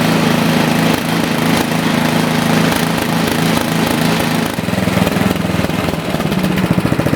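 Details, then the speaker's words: Toro four-cycle snowblower after adjusting the too-lean carburetor mixture screw to cure rough running and surging: small single-cylinder engine holds a steady, even chug at constant speed with no hunting; surging gone. "So, I'll start up the machine here, and the surging should be gone."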